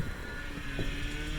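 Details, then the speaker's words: 2004 Toyota Highlander, 162k miles, idling; faint steady whine over low rumble, loudest when turning the wheels; alternator replaced months ago, power steering fluid very dark, owner plans to change it, cause unconfirmed. "but you hear there's like a little noise and and if you and if you turn turn the wheels this is where you hear it the most it's like"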